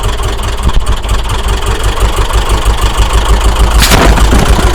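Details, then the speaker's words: Subaru Outback EJ engine after timing belt failure (DNJ parts, collapsed tensioner), refitted with used belt and WRX tensioner: uneven stumbling idle, irregular loping pulses about three per second; bent intake valves, both heads likely damaged. "As you can see, we've got a bad engine. Definitely had some intake valves hit, and it's running so poor, I would expect both heads have been damaged."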